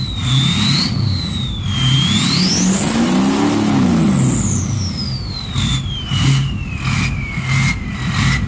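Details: Ford 6.0 Powerstroke diesel with a new stage 1.5 63.5 mm 10-blade turbo: a loud, clean whistle climbs high as revs rise, then slides back down at idle. A healthy, free-spinning turbo.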